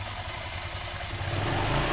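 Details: Honda scooter after CVT repair: idles then revs smoothly with no knocking or clattering from the belt drive, fixing the former klotok-klotok rattle heard when revs drop.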